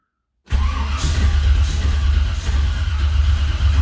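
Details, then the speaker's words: 1978 Ford Courier with new HEI ignition, carb dry after a spritz of brake clean had fired it, timing likely a hair retarded: starter churns steadily for several seconds but never catches; cranking without starting, no fuel. "So it's out of brake clean now, but it means I'm in the ballpark."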